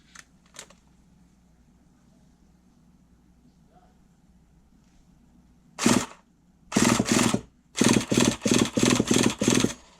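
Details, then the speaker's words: RC nitro truggy engine, not warmed up, with old fuel in it and a 15-tooth pinion on a 49 spur (owner thinks it's a .25): starter gives short whirring bursts spinning it over, hitting the fuel; starter now engaging normally. "You can hear it hitting that old fuel in there. Even if it's not even warmer on it, you can still hear it."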